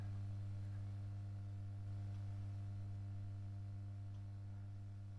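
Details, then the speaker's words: Marshall AS50R acoustic guitar amp on a bulb limiter (100 W + 140 W bulbs), under 40 V reaching the amp: steady low mains hum with no change; output IC package appears short on all pins, likely blown, dragging the supply down. "So there's not even 40 volts getting into that amp. The bulbs are taking the lot. That's short on all those pins. So I reckon that's blown."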